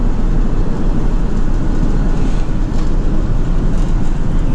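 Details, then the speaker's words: Cold-started V8 truck with no muffler: very loud open low rumble with an uneven lumpy beat; runs rough, cause not pinned down; owner thinks fitting a muffler for back pressure will help. "I'm gonna put a muffler on it because it's unnecessarily loud and it doesn't run right, and I think the back pressure from the muffler will help it."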